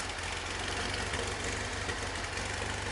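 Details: 1973 VW Super Beetle 1745cc with Dellorto FRD 34 carbs jetted for 1415cc, Mofoco 041 heads and hydraulic lifters, fast idle about 1400 rpm, lumpy and uneven with one side off-beat; owner suspects left carburetor, rough idle.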